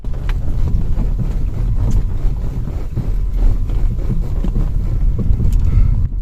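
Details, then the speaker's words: Ford Focus 3 driving: constant hollow knocking from the rear right over heavy road and wind rumble, from a failed rear right sway bar (stabilizer) link that needs replacement. "De derrière, à droite, on entend un bruit de cognement constant."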